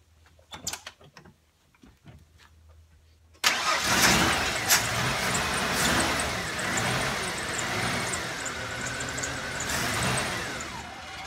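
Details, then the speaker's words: 1994 Ford F-150 XL 4.9 inline-six: cranks and catches, surges with repeated throttle blips, then stalls once gas is released; won't idle, fix starts with the idle air control valve. "you can hear how it idles I got to keep giving it gas keep it alive and then we're gonna go fix it"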